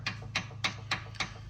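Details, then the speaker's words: Outer tie rod end rocked by hand gives sharp, regular clicks from excessive play. Likely cause of the steering wheel vibration, since no other suspension part has play. "Okay, so if this part has like it, this is not supposed to have this much easy play, and as you can hear, it's clicking."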